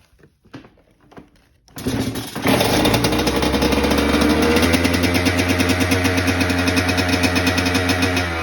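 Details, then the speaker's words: Honda CR85 two-stroke dirt bike started cold after restoration: a few clicks, then a steady, even, rapid buzzing run on choke held up by hand because the choke won't stay up; the running is normal. "All right, so it's cold out and the choke doesn't stay up, so it's gonna be harder to show y'all. But like, look, if I can get the choke to stay up, like, I gotta hold it."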